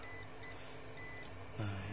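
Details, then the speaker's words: Lenovo V130-14IKB laptop, dead, reported shorted, motherboard removed: multimeter gives a clear steady high-pitched continuity beep in short repeated bursts on the 19V input line, which should not conduct; line shorted, faulty part located. "a kalau Bu bazernya bunyi di jalur 19 yang harusnya dia enggak bunyi bunyi itu maksudnya dia ada ada yang short ya dia nyambung guu harusnya dia enggak nyambung"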